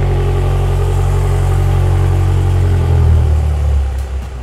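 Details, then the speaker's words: BMW M6 first start with new custom downpipes after flywheel repair, engine still ice cold, not revved: deep steady low burble, even firing with no knocks or misses, louder fuller exhaust note; normal cold idle. "Now let's see what it sounds like with the downpipes. Now that's what I'm talking about. That's what an BMW should sound like."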